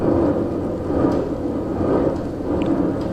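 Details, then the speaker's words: Trailer wheel spun by hand during a bearing check: a coarse, gritty, dry grinding rumble with no play in the wheel, suspected worn wheel bearing, with the owner unsure. "it's usually not a noise i don't think that's a very good noise to hear sounds quite quite dry there's no play"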